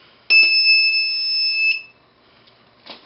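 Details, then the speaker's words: Transistor-driven DC buzzer on an electronics learning board gives one steady high-pitched buzz about 1.5 s with clean start and stop, pulse length set by potentiometer timer; normal operation. "I can make that long that buzz longer if I'd like by putting a longer pulse on the on the transistor base."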